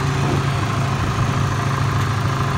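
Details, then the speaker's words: Ford Ranger, long-sitting truck that had trash fuel, power steering pump being replaced, small antifreeze leak: steady even idle, smooth low rumble, no knocks, ticks or squeals; running better than ever, normal idle. "Man, it's running really good. I never actually had it running this good."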